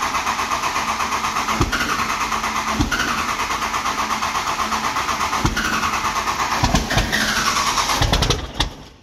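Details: Grenaded fuel pump replaced on a 12-valve Cummins dually: long steady crank at about three turns a second with weak puffs that never catch. Fuel pressure was at zero on a quarter tank, hand-primed with no in-tank pump. Long crank, no start.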